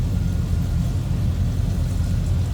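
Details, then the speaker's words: 1983 Chevrolet Silverado K10 4x4 small-block Chevy V8 idling after a cold start, heard from behind the truck: steady even low rumble with smooth lope, no knocks or misses; normal healthy idle. "you get a good idea little Rumble coming out of that small block shaft nothing crazy just a good sounding"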